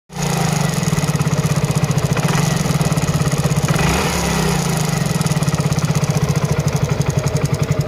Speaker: इसमें अभी नई टाइमिंग चैन डाली है मगर इसमें फिर भी आवाज आ रही है आवाज क्यों आ रही है य भी बताएंगे एक छोटी सी कमी की वजह से आवाज आ रही है